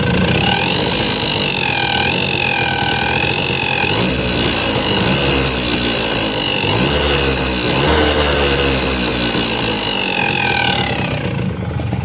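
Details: Suzuki RC100 two-stroke, piston reportedly just replaced: idle with busy uneven rattle and whistling overtone wavering with revs; strange engine noise, cause not yet identified.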